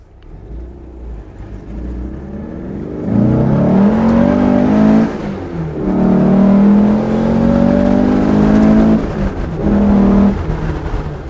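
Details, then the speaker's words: 1967 Porsche 912 on first test drive with newly installed 2.1-liter engine; occupants say it feels very different, powerful and smooth. Even flat-four pulling cleanly through the gears, tone rising with each shift, no misses or knocks: healthy engine under acceleration. "Yeah. So different. Man, it really sounds good. It's like so smooth."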